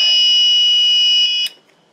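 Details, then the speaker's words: TrippLite APS1012SW inverter/charger on a 12 V lead-acid battery, running a light-bulb load, when AC input is plugged back in: a shrill steady alarm for about 1.5 s, then it cuts out. It faults when transferring back to grid under load. "so I'm going to plug my power in again so that's like this is like a power outage and now the power comes back on and it doesn't like that"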